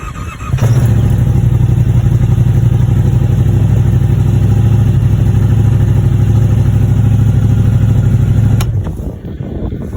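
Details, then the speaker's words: Yamaha Wolverine RMAX 1000 with a new AIS block-off kit, Weller tune and resynced throttle bodies, started dead cold at about 17°F with no prime after sitting a week; fires after a crank or two and settles into a strong even throb, no stumbling; normal cold start. "so you guys did here took a crank or two to fire up however it did uh fire right up no issues no die outs"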